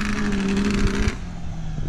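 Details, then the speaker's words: ATV converted with a Kawasaki GPZ550 engine, drifting in grass with a slightly slipping clutch: engine note holds, then sags and drops in pitch under load, bogging; suspected to be running out of fuel. "hear it bogging? Oh yeah."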